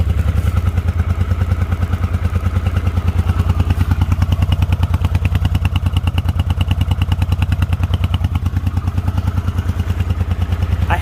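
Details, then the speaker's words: 1980 Honda CX500 Deluxe V-twin, cold start (last registered 1998); steady, even low thumping about three beats a second, no knocks or misses; healthy normal idle. "so it does run there's some proof and it sounds good"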